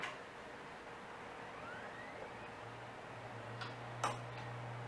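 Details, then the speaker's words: Samsung SpinPoint 40 GB IDE hard drive, early 2000s, 2 MB cache, from another non-working computer: quiet motor hum climbing as platters spin up, then steady low drone with a few head clicks; healthy spin-up. "there we go there's it's spin up i heard it spin should work yep samsung looks like it's working"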